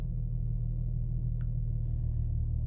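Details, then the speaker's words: Infiniti G35 Sport HR sedan, warm restart after tightening loose and replacing missing bolt on ISR Y-pipe exhaust leak that caused high idle; idle flares then settles, low smooth rumble holding steady without surging. Normal warm idle, back to normal. "Yep, there it is. Back to normal."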